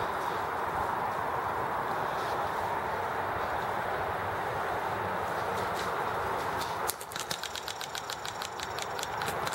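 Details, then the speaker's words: Enjomor engine with 4th governor arrangement being spun over: sharp evenly spaced ticking cracks as spark grounds out through the bare red switch wire instead of the spark plug; ignition spark arcing to ground. "all right yep i can hear it crack every time i spin it it's cracking right there instead of going through the spark plug"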